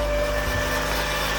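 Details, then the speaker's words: 1999 Mazda Miata, 190k miles, cold start after nights in the low 20s: thin steady whir riding over the engine note at idle, always present and gone once warmed up; source unknown. "noise it has always made that noise and it goes away once it's warmed up I don't know what it is and I don't care"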